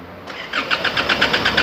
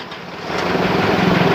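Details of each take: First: Isuzu D-Max diesel that stalled while driving, before diagnosis: starter turns it over at about eight pulses a second but it never catches; a crank, no-start. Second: Isuzu D-Max diesel that was stalling while driving, after replacing the fuel rail and rail pressure sensor: catches about half a second in and settles into a steady, even clatter with no stumble and no engine warning light; starts and idles normally.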